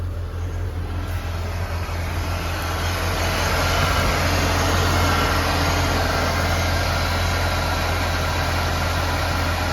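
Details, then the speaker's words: 1988 Ford Ranger XLT 2.3 four-cylinder cold start, idling at about 1000 rpm, no warning lights: steady, even, smooth fast idle with no knocks or misses, expected to settle once warm; faint catalytic converter rattle. "no warning lights idling at a thousand rpms it will calm down once it warms up"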